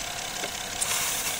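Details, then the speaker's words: Honda Accord V6 misfiring at idle; steady airy hiss as air is sucked through an intake vacuum leak found by pouring water, the leak causing coil faults and misfire. "इधर हवा leak कर रहा है। इसका मतलब है इधर हवा लीक है।"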